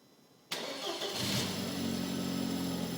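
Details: Audi A4: engine catches and settles into a steady idle with a faint irregular ticking mixed in, a strange noise attributed to the transmission, cause unclear.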